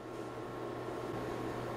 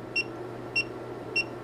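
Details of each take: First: Hioki DT4252 multimeter (gas discharge tube primary protection) under transient testing, battery pack removed: sharp crack over steady hum as something inside breaks down and arcs on every transient applied; meter still 100% functional afterward, no damage. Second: Hioki DT4252 multimeter after transient surge testing: three short, clean high beeps about 0.6 seconds apart over a quiet hum as the diode test reads one, two and three diodes; the meter is fully functional.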